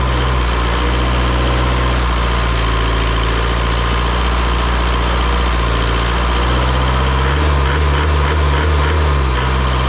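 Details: Isuzu 4-cylinder 60 hp diesel from an air compressor, just revived after bleeding the fuel system. Deep, steady drone held at raised idle, smooth and even with no stumbling, knocking or smoke; normal healthy high idle.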